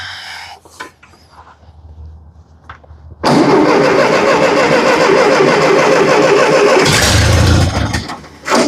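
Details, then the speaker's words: Roughly 70-year-old Massey Ferguson TO-30 tractor, previously non-running, started without starting fluid: quiet, then catches after about three seconds into a steady fast idle on choke. "there we go running on choke good"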